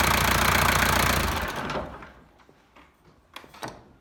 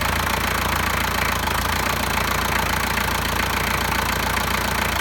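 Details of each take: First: 1983 Toyota BJ42 with 3B mechanical diesel, EDIC fuel shutoff repaired: diesel clatters evenly, then cuts off cleanly within about a second at key-off, followed by soft clicks; shutoff working normally. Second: Keys are out of the ignition and it won't shut off. What you have to do is come down to here, and when you push that forward, it shuts it off. Now the EDIC motor is supposed to do that on its own, but it's not doing that.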